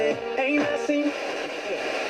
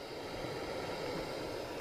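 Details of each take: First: Hacker Sovereign 2 RP25A radio, which was not picking up stations, after the faulty pushbuttons were found: clean station audio with music and voice coming through steadily, no hiss, crackle or dropouts. It now receives properly, though the dial pointer is still off. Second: Hacker Sovereign 2 RP25A radio on batteries, aerial up, tuning with no stations found: only a steady even hiss from the amplifier that doesn't change with volume, bass and treble not working; dead front end, tape section suspected.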